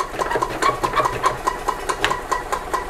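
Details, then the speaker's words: 1999 Club Car DS gas golf cart, key in service mode, choke held, cranking: quick even starter chugging about five beats a second with no firing; crank no-start, dirt in carburetor assumed, fuel filters and carb clean planned. "it's not starting. So I'm gonna assume that we have some crap in the carburetor, which is very common."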